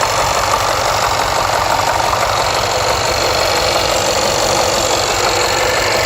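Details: Jaguar XFR AJ133 5.0 V8 at idle misfiring on the rear bank, cylinders 5-8, codes P0300, P0306, P1315, P228F fuel pressure regulator too high, P00C6 low rail pressure cranking: rough, stumbling uneven idle; later fixed unexpectedly.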